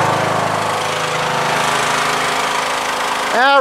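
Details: Yard Machines MTD lawn tractor, 20 hp Briggs single-cylinder OHV, CVT, after a valve lash adjustment for stalling once off choke: holds a steady, even rhythm without stumbling or hunting. Runs smoothly and healthy.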